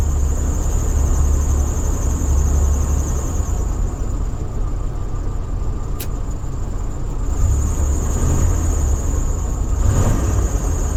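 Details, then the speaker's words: Vintage Allegro RV, winter start-up, starting the onboard generator while the engine runs; uneven rumble with faint high squeal on top as generator load drags the alternator down; belt squeal under load. "I'm gonna try to start up its generator are not going to tell you from my experience it's gonna start squealing like mad"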